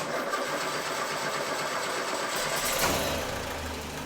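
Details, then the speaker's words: Freshly rebuilt Land Rover 2.25 petrol engine after a carburettor rebuild and fresh fuel replacing years-old petrol: catches and settles into a steady even idle, no popping or misfire; running clean. "That's better. I don't need to run this for long, but I'll just give it a few minutes to flush petrol through the carburetor."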